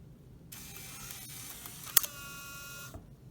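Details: Clarion CD unit removed from a 2004 Saab 9-3, bench-powered directly with a test CD: a quiet, even motor whir about two seconds with one soft click as the disc seats. Normal CD loading.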